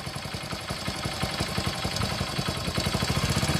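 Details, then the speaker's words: A second bike with no white smoke from the silencer, just after starting: a quick "galagala" metallic clatter at roughly three per second over the idle, rattling inside the engine. A worn timing chain with valve noise. "బండి engine లోపల గలగల గలగల అని sound వస్తుంది, విన్నారు కదా."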